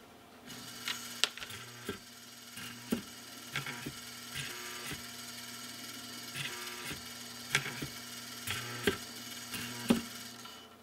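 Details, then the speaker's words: Vintage Rittenhouse 8-note long tube door chime: quiet steady motor hum as drum rotates, soft clicks about once a second as tabs close switches and solenoids fire; normal chime mechanism operation. "each time a tab hits another switch the solenoid will be energized and if you listen really carefully and i'm going to try to be really quiet you might hear the solenoids actually activating as they are energized"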